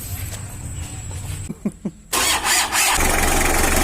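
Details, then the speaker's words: 1991 L300 diesel after repair of jumped timing and rough running: a few cranking chugs, then it catches quickly and settles into a steady, reasonably smooth clatter; starts and idles fine for its age. "Tidak seburuk sebelumnya, ya. Teman-teman, ini model tahun '91. Untuk mobil keluaran tahun '91, suara ini cukup bagus, ya."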